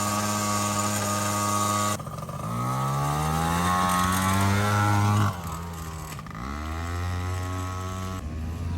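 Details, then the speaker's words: Yamaha BW80 barn-find ATV: engine note climbs and flares steadily for seconds while drive does not keep up, then drops back; slipping clutch, owner may fit another clutch. "clutch. Knew it, slippy clutch."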